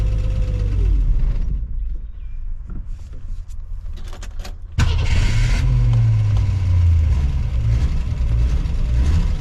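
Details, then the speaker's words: Ford Falcon revived after new points, condenser, cap, rotor and plugs, fine-tuned after first start: clicking and cranking, then it catches and settles into a low, fairly even idle rumble; normal idle. "all right so i think i got it to where it'll idle"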